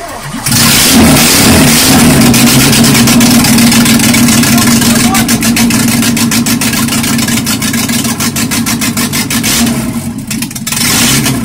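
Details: Peugeot 205 GTI 1.9 F20/14 just after first start following full group A-style rebuild (prepared head, camshaft, balanced bottom end): fires then revs smoothly and crisply, steady firing, no tapping, knocking or misses; normal revving.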